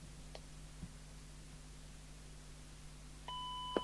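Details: 1981 Grandstand P2004 CB27/81 4-channel 2W crystal-controlled CB handheld, badly corroded, after full recap and cleaning: after a quiet hiss, a clean high call-tone beep of about half a second; call tone now works.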